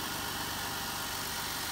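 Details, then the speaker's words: Jeep Wrangler JK (JKU) after power steering pump and pulley replacement, steering lock to lock to purge air: smooth, even idle with a light hiss, no whine or groan from the steering; everything running nice and smooth, normal idle. "Everything's running nice and smooth."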